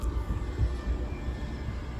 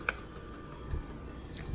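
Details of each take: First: Outdoor ceiling fan after cleaning the blades, motor housing and dome: runs smoothly with a soft low hum, no wobble or knocking; noise was caused by dirt creating a weight imbalance. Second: Outdoor ceiling fan making faint, regular ticking about five times a second over a low hum; the noise stops when a blade is moved by hand, pointing to blade imbalance.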